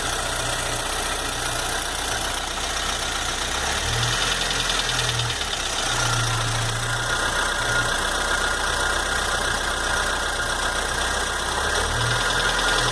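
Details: Chevrolet S10 2.4 gasoline, 15W5 oil, after new lifters, rockers, pistons, rings and rod bearings with the head checked and the block within spec: a steady idle with a fast, light, slightly uneven tapping knock about four a second; source unknown.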